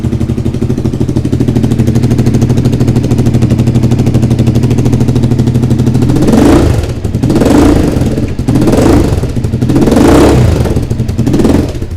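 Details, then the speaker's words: Suzuki SV V-twin after the engine rebuild and timing correction, at idle with throttle blips: a sharp puffing chuff rides each firing pulse; exhaust leak still at the top joint, gaskets need replacing. "J'ai encore une fuite à l'échappement. Ah, ça fuit encore en haut là. Je vais être obligé de changer les joints, j'ai toujours une fuite en haut là."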